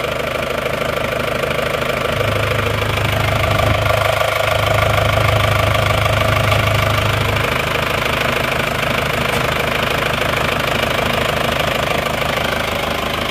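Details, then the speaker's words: Diesel at idle after workshop repairs: steady, even clatter with no rough misses or heavy knock. No oil consumption or blow-by seen, so engine overhaul judged not yet needed; sounds fairly good, not rough. "kan jadi belum menurut saya belum layak belum layak untuk diturunkan terlalu terburu-buru kalau maor mesin saat ini soalnya suaranya juga masih lumayan bagus tidak kasar"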